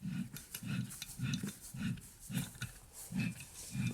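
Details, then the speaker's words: BMW E90 differential removed for rebuild, turned by hand on the bench: a low rumbling growl in regular surges only when the pinion turns; rushing, hissing rear-end noise while driving; suspected noisy pinion bearing, not yet confirmed. "If I'm able to turn both axles in the same direction, it's even more pronounced, which I can't do while I'm holding the camera. Anyway, this noise sounds like it reflects off the back of the cover,"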